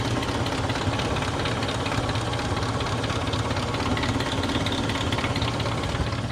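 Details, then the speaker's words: Toyota Kijang Kapsul petrol engine warmed up several minutes, idling: fast light kletek ticking from valve train that should be gone when warm; hydraulic lash adjusters suspected, engine flush tried before teardown. "Oke teman-teman ini tadi Kijang ini mesinnya ini udah udah Panaskan ya istilahnya udah udah running itu ada berapa menit lah ini harusnya klepnya ini nggak bunyi kletek kletek kletek lagi nah kalau sekarang masih bunyi nih ya udah"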